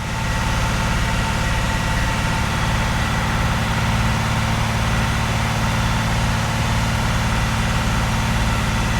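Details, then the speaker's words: 45-year-old Vauxhall Royale coupé, rebuilt 2.8 L engine during camshaft run-in at 2,000 rpm with 3.5–4 bar oil pressure: steady, even, smooth drone with no knocks or misses, smoother than the old engine. "And it sounds smoother."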